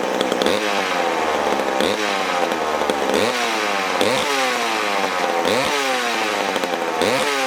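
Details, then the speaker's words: McCulloch Super Pro 81 chainsaw started after many months unused: crisp revving that rises quickly and falls back in repeated blips about every second, responding cleanly to throttle. It is a healthy saw. "Guys, that sounds like America. I love the way these things sound."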